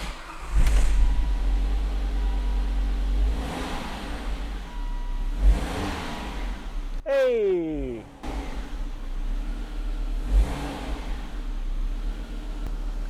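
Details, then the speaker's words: Volvo after a dealer throttle body replacement and a blown fuse replaced with a new 10 A fuse: the engine idles, then rises cleanly with each pedal blip and drops back. The throttle body now responds as expected with no fault codes. Normal throttle response. "oh and we have a sound from the throttle body we haven't heard before"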